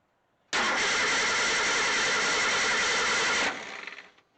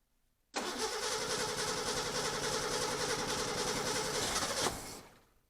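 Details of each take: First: 1963 Ford Econoline pickup during restoration, first crank in neutral with the clutch in, before any fuel is added: strong, even starter cranking for about three seconds; the engine turns over freely. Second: 1963 Ford Econoline pickup during restoration: engine catches with an uneven, lumpy beat about four pulses a second, stumbles off and restarts rough; the carburetor needs adjustment and the fuel filter will be checked.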